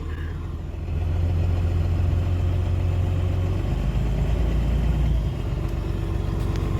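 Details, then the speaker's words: Diesel shop/hotshot truck with low rail pressure (about 500–600), owner suspects weak fuel pump or air being sucked in: low, uneven chugging idle with a brief speed sag; stumbling idle, cause unconfirmed. "yeah that I definitely thinks it needs a pump you can hear it"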